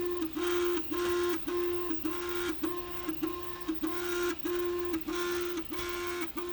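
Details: Prusa MK3S+ 3D printer: loud repeated stepper whine bursts with sharp stops, roughly a hundred a minute, far noisier than a healthy printer should be.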